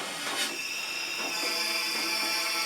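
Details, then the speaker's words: During a leak-down test at up to 100 PSI with the engine turned over, a steady airy hiss with soft pulses reveals test air escaping through a wide-open exhaust valve; some leakage also heard via the intake. "there you can hear the exhaust valve wide open"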